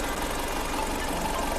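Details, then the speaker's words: Changan Karvan after an idle control (electric choke) fault caused high, hunting rpm; choke bypassed and rpm set via the accelerator cable. Idle now low and steady, even, no hunting or surging, where before it was very high: normal idle after the fix. "अभी इसका RPM नीचे है पहले बहुत जरा था RPM RPM बिल्कुल अपनी जगह प है"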